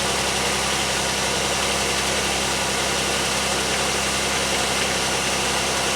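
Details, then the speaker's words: 2001 Pontiac Aztek GT at about 171,000 miles, recently refilled transmission fluid and new filter: engine idles with a loud, steady, even drone and no knocks or misses; engine sounds good. "the engine still sounds good"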